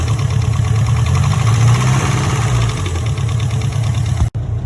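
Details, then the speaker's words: Mitsubishi Lancer Evo IV at 167,000 km, first drive: loud rough idle with dull uneven knocking; oil leak and oil pressure light on, cause of knock unknown. "and girls and that's the Evo's first drive the motor sounds very knocky I must say I'm not too happy with it"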